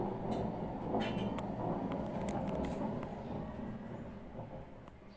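Deep, rough rumbling grind that fades as the drum slows, typical of badly worn drum bearings.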